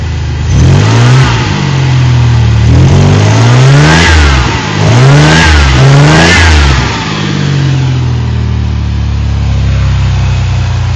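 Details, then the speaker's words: 1988 2.8 L engine and transmission, complete with alternator and AC, oil recently changed, new plugs, wires and transmission filter: three clean blips rising and falling smoothly with no knock or miss; strong, healthy engine revving normally. "Strong. It's a great engine."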